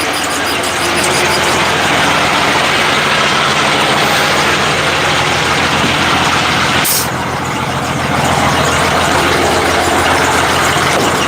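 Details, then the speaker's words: 1986 Ford CF7000 rollback, Brazil Ford 6.6 L diesel, jump-started: loud idle with rough uneven churning and sharp air hiss as the air-operated PTO, left on, tries to engage while air pressure builds. "Yeah, that was weird. The PTO was trying to engage. That would be a whoops. So I left the PTO on, and it works off of air."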